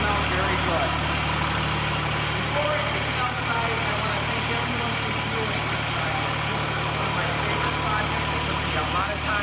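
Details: Restored Cub Cadet 782 diesel garden tractor at the end of the project, idling; steady, even diesel clatter with a constant low drone and no misses or knocks, a healthy idle.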